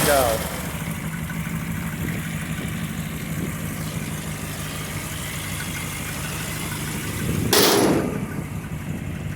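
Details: 1974 Dodge Ramcharger V8, nearly restored after sitting 12–15 years, warm after climbing a steep mountain grade, temperature around 200°F: deep, even idle rumble with no miss or knock, one short sharp noise near the end; runs healthy.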